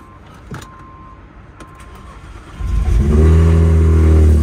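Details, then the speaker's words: Crashed manual turbo BMW 135i bought at auction, first start at the lot after loading: brief cranking, then it catches at once into a strong, even idle with a deep exhaust note. Normal start and idle. "yup starts right up [ __ ] yeah I'm excited sounds good too"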